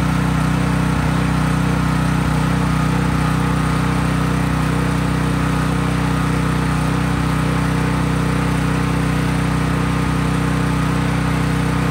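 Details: Craftsman 5000 W generator at full speed with breaker on and only an LED bulb plugged in, effectively no load: steady, even drone with smooth regular firing beat, no knocking or hunting; normal no-load running.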